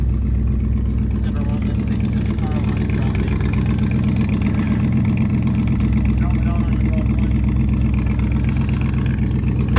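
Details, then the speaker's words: 1971 Chevy Cheyenne C10 after a hard cold start at 22 degrees: steady, even low idle with a smooth regular beat and no misses or ticks; running fine. "runs good stay tuned for more peace"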